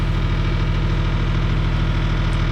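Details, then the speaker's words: CAT 336 excavator, warmed up after running 10 minutes: deep steady diesel idle with even low pulse, no stumble or knock; warm restart cranked fine. "All right, so the machine's been running for 10 minutes. Just wanted to get the engine warmed up."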